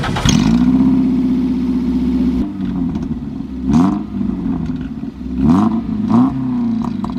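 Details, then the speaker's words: Toyota MR2 race car engine on a cold start, blipped repeatedly; a sharp chirp rides each rev rise and fall from the top end. The source is undiagnosed; it began after switching to 5W-30 oil and may relate to slow straight-line speed. "now there's some chirping going on in the top end and we've we've tried to diagnose where it's coming from can't really work out what's going on"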